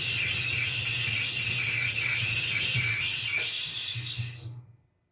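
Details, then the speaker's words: Maytag Bravos XL dryer running: a harsh, continuous high-pitched squeal over the low motor hum, caused by a bad idler pulley that is about to be replaced with a repair kit. "this thing is squealing and it is really bad."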